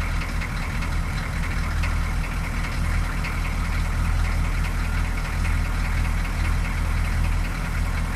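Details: 6.2L diesel the morning after a fuel filter replacement for rough idle: starts right up and settles into a steady, even idle with smooth clatter, no stumbling or dying, throttle untouched; rough idle appears fixed.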